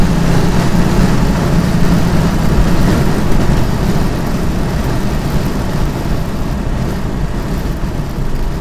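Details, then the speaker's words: 3.0 TDI diesel with intake flap removed, a larger OEM intake pipe and no EGR valve, under load: strong continuous drone with no hesitation, flat spots or odd noises; pulls normally. "il y a pas d'autres bagnole qui peut faire ce bruit là"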